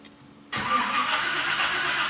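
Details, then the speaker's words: Freshly rebuilt V8 in a 1979 GMC C35 at first start attempt: steady cranking with no firing while it builds oil pressure. There is no spark yet, and the gas pedal was sticking. "building oil pressure. We not getting spark yet."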